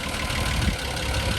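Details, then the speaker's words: 1994 Mitsubishi 3000GT, original engine, 214,000 miles, idling: deep uneven knocking in the low rumble, really bad rod knock; engine being pulled for a swap. "It's got really bad rod knock. That's why we're doing the engine out."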